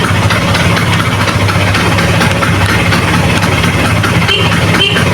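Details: Vespa Excel two-stroke after an engine teardown and rebuild, with the old clutch refitted, started and clutch tested. Steady, even idle with a buzzy exhaust note and no knocks or rattles. Normal idle.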